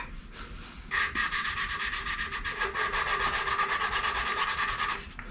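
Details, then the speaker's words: Hand-lapping a valve into its seat with grinding compound on a Ford 8BA flathead V8 block: soft back-and-forth rasp at about three strokes a second. The gritty sound is fading and getting quieter as the valve and seat bed in. "sounding better though the gritty sound is going away"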